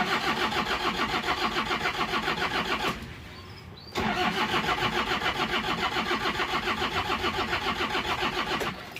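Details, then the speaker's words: Toyota Kijang diesel with an overheating history, thermostat removed, after head service: long, steady cranking near 210 per minute, a pause, then more cranking without catching. Starts harder than normal because the glow plugs get no current. "untuk startnya agak susah seharusnya itu kalau diesel kalau pagi kalau yang normal itu Du sampai empat kali Kekek Kekek gitu hidup"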